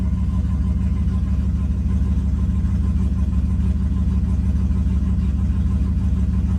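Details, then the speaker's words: Stock GMC truck engine with an added turbo and 60-lb injectors, warmed up after a cold-start surge. It gives a smooth, even low rumble at about a 750 rpm idle in closed loop, with the O2s switching and no misses or lope. Normal warm idle. "Idling fine. The idle will come down around 650 once it's warmed up. I'm sorry, 750. So it's right about there. Closed loop."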